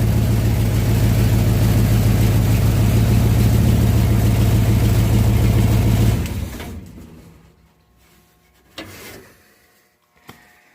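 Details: 1967 Chevelle V8 on original wiring (minus front clip), first run since 1977 after ignition switch cleaned; steady, even smooth low-rumble idle with no knocks or misses, then switched off; not charging yet.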